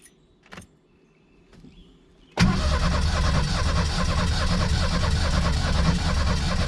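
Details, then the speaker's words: Ford Turbo Coupe parts car: starter turns the engine evenly, about 2.5 beats a second, but it never fires. Suspected ignition, timing belt or low compression, or the integrated control relay; unconfirmed; cranks, no start. "kind of almost sounds like it might need a timing belt or something there too the compression might be off a little bit"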